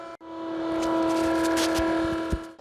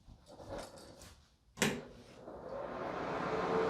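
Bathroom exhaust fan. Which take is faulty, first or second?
first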